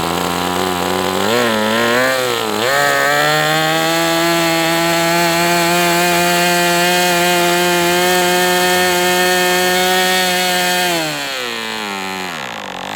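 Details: MDS 68 FS Pro four-stroke glow model engine on break-in run with 11x8 prop, warm; high buzz climbs and holds about seven seconds at full throttle, then drops; high-speed needle still a little rich with this plug; smooth normal running.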